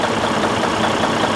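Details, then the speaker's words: DD15 diesel at idle, no check engine light or codes: steady idle with a fast, light tat-tat tapping, as if something in a cylinder or connecting rod is hitting; damaged piston and broken cylinder liner knock. "It's a very unusual sound. It is like something inside a cylinder or a connecting rod is hitting each other."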